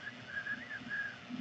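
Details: AnyCubic Kossel Delta Linear Plus 3D printer printing a vase; faint high chirping squeaks come and go over a quiet background; some moving part is squeaking, cause unconfirmed.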